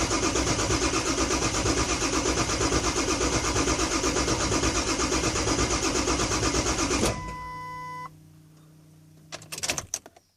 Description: 7.3 crank no start using torque app